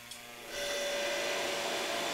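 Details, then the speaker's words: Dehumidifier started on a Cobra CPI2550 2500W/5000W power inverter during a surge test: quiet, then the unit kicks on to a steady airy hiss and faint hum, drawing 7.3 amps, about 700 watts; a normal start-up. "and it did start the dehumidifier you can see that uh only one bar is on right now it's drawing 7.3 amps and about 700 watts"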